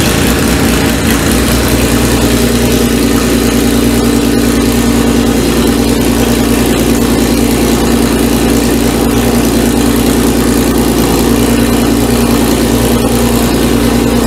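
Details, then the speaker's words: First start of Renault 5 Maxi replica with Audi engine, open exhaust and temporary wiring: loud, raspy idle holding a steady, even beat with no stumbles or knocks; no leaks, running normally. "Et là je suis en échappement libre. Donc forcément elle fait du bruit hein. Tout est nickel, il n'y a pas de fuite."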